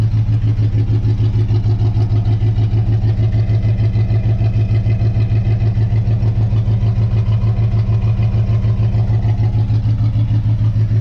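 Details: 1958 Dodge Coronet Lancer barn find, idling after warm-up following plug gapping: low, thumping idle pulsing about three beats a second; misfiring on one cylinder, number two dead per timing light, same after swapping plug wires.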